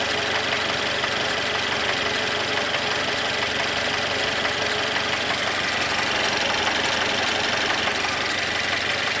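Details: Mercedes M274.920 engine at idle: steady idle with a hard, regular knock about three per second riding over the engine, a connecting rod knock.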